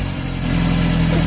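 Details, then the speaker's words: 1978 MGB carbureted four after carburetor rebuild (previously dribbling fuel from carburetor bottom): even idle, then clean short rev rising in pitch without popping or stumbling; starts every time, idle fine, running normally. "The car starts up. It starts up every time, and it works great. I think the idle is fine."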